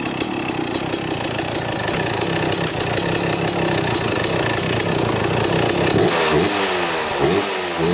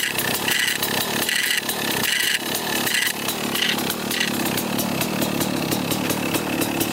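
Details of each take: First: 1995 Kawasaki KX250 two-stroke dirt bike, first start after sitting, carburetor cleaned and idle adjuster heavily adjusted: steady, crisp idle with a clean even beat, then quick throttle blips that pick up cleanly; normal idle, smokes a little. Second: 1995 Kawasaki KX250 two-stroke running at revs after sitting, with a raspy metallic scrape in bursts when the clutch is pulled. The side cover is punched in, and a clutch screw is suspected of nicking its inside.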